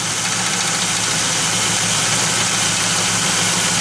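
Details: Pontiac Firebird (3rd gen) V8 with freshly rebuilt 1985 Quadrajet carb, idling: rough, fast-repeating rattle and hiss on top, gone with serpentine belt removed; stock valve cover refitted cured rocker noise; accessory drive noise, owner concludes water pump.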